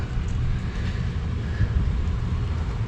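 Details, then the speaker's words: Large blower motor on a make-up air unit running with its belt removed; deep, uneven rumble with wavering loudness, sounds unhappy, cause not clear; abnormal blower motor noise. "well I only got the belt off but listen to this motor it doesn't sound happy"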